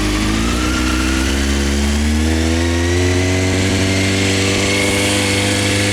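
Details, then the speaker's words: 1998 Honda CBR F3 motorcycle outdoors after oil change with fresh 4 quarts oil, new filter and crush ring: starts, climbs briefly, settles into smooth even idle with steady note; normal idle. "She is sounding good."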